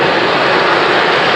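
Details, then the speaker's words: 1998 Toyota RAV4 with AC not working, AC on, after releasing some high-side refrigerant pressure: a loud, steady rushing roar with no speed change. The cooling fan stays stuck on high; cause unconfirmed. "not much of a difference there. The high fan is still on, as if"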